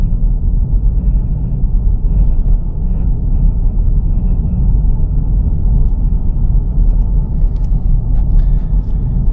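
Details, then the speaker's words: 2004 Acura MDX in D5, gentle uphill at about 1,200–1,500 rpm and 25–30 mph under light load: heavy low rough grinding growl under cabin drone; owner suspects transmission, previous heat-shield rock removal didn't fix it. Unconfirmed. "You see my RPMs and you see my speed, and that grinding sound has been going on for the last half a mile, well, quarter mile."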